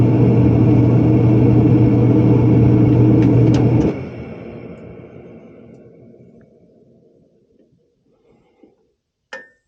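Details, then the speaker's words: Propane warm-air horizontal commercial furnace in an attic, after fitting and adjusting a new universal igniter: steady low hum running evenly, then winding down quietly; lights every time and blower comes on, normal operation. "but now it's lighting right up every time and blur comes on it sounds good"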